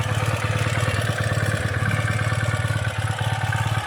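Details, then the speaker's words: 2017 Ural cT sidecar twin, first start after installing the Keihin Gen 2 EFI, with air possibly still in the fuel line and injectors: steady, even low thump that smooths out; normal idle, sounding good. "yeah smoothing on out now sounding good"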